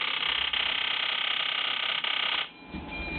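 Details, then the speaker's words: Ford Powerstroke injectors driven by a modified IDM controller at 3900 rpm with 3.06 ms fuel command (500 µs divide): high buzzing injector chatter falters and cuts out. The roughly 250 µs pulse is too short for the injector to reach saturation, so it probably never opens. "hear it missing cutting out injectors now when we look at the pulse we see a very different picture"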